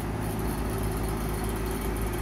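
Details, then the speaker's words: Rooftop AC unit at apartment complex, no-cool call with new filter and 76° supply air; steady low compressor hum with light hollow tone, refrigerant audible; extremely low charge of R-410A, 15 PSI on vapor line. "but that's a sound of a low charge. Extremely low charge."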